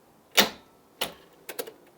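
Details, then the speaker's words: Barn-find Mini Cooper, parked up for years: a few sharp single clicks and a dull chunk with no cranking and no spark; the starter clicks but the engine will not turn, with the starter or a seized alternator suspected. "Yeah, it's trying to engage. It clicks. It clicks and you hear it chunk. So it suggests it's the starter, but nothing jerks."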